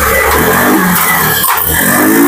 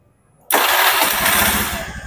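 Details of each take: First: Honda Beat FI scooter with a new battery and oil, fuel pump pressure gauge fitted: it revs cleanly, then sags and dies as the throttle closes. Idle screw, EICV, TPS and injector adjustments had no effect. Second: Honda Beat FI scooter that kept dying at idle, after TPS wiring checks, a new coil and a final simple fix: it catches at once and settles into an even, steady idle, now normal with no stalling.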